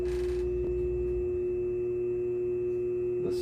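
A steady, pure hum from the spinning lap holds even throughout, with the stone grinding smoothly and no catches or rattles.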